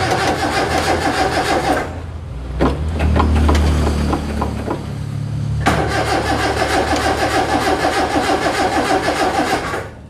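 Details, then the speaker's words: Daihatsu Zebra 1.3 carbureted engine with hard-starting complaint, before carburetor setting: engine stops, starter grinds about three seconds before catching and settling to idle; hard starting, long cranking. "Di sini tadi Pak Toto mencoba menyalakan dari mobil. Dan memang disampaikan untuk penyalaan terdapat sulit"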